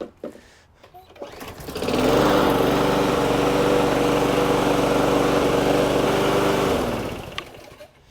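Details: Garage-sale Toro SR4 Super Recycler lawn mower after carburetor cleaning and a new air filter, on ethanol-free gas, with the oil not yet changed: it starts on the first pull and settles into a steady even drone, then winds down cleanly. It is running healthy.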